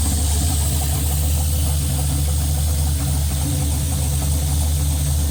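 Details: Holley Terminator X–managed turbo LS in a Chevelle on its first start-up, closed loop pulling 31% fuel: deep, loud idle with an uneven, lumpy pulse and shake; fuel map still untuned, so the rough idle needs further tuning.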